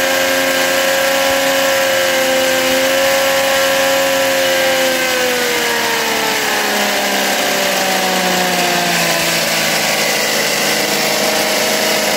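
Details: Philtech V12 model aircraft engine, 108 cc liquid-cooled two-stroke glow engine with miniature radiator, warmed up: smooth high-pitched buzz climbing and falling evenly with throttle, no misses or rattles; healthy revving.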